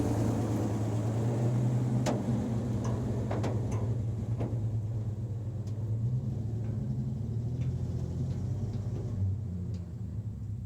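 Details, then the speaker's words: REO M-35 truck engine before the head gasket failure: normal, stable, throaty idle without throttle blipping, with a little upper-end valve clacking. "the idle. It's constant. It has kind of a throaty sound, but you can also hear the upper end doing a little bit of clacking. But it's as far as this truck goes, this is what we're considering a normal, stable idle."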